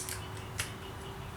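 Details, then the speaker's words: Shimano STI bicycle shifter: three crisp, clean clicks about half a second to a second apart, shifting through the gears easily. Normal shifter clicking. "obviously you can hear the clicking going through the gears nice and easy."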